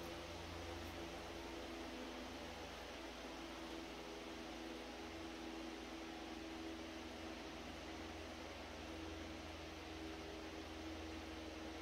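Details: Century S-3 Model 15 skeletal frame desk fan, over 100 years old and restored after many issues, running on speed 4 below high; quiet even motor hum under soft air rush, no ticking, rubbing or wobble; normal smooth running.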